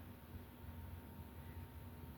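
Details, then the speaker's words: 52" Hunter Passport ceiling fan with 4-light kit, on a test rig, starting up from a stop: soft, steady low hum with a faint thin tone above it. Ordinary motor hum, not caused by the wall control. "And I do get a bit of a hum from it whenever I first start it up. And that's not because it's being run on the wall control. That's just normal humming from a fan."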